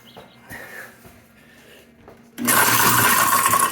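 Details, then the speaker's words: Kitchen garbage disposal freed by manually turning it back and forth: starts with a loud harsh rattle and chatter over the motor; a hard foreign object is loose in the chamber. "she obviously has something in there but now it works"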